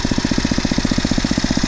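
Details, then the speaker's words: 15+ year old Poulan/Weed Eater garden tiller, 5 hp Briggs & Stratton, after tune-up (new plug, oil, air filter, carburetor mixture adjustment): even low putter, steady, no hunting or surging. Normal idle. "and listen to that engine idle down running great that's how a 5 horsepower brakes and striding engine shuts down"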